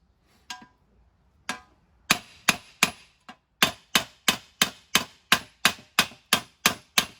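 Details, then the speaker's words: Mercedes W163 front wheel bearing tapped in using old bearing as driver: sharp hammer taps about three a second turn stiffer and more solid, showing the bearing is fully seated. "okay you can hear that stiffer it's hard to explain it's a stiffer sound than um then just tapping on it"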